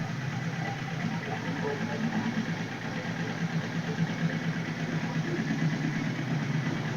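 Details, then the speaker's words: 1978 Suzuki GS1000C, after carb cleaning and replacing #2 float needle valve that was stuck open by debris and flooding, fresh gas and new fuel filter: steady, even four-cylinder idle, no misses, no fuel leaking; normal idle. "So yeah, she's purring now. No fuel underneath."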